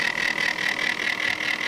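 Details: Corsair H80 liquid CPU cooler failing two hours after install: an intermittent high steady whine with a rough grind pulsing several times a second from the failing pump.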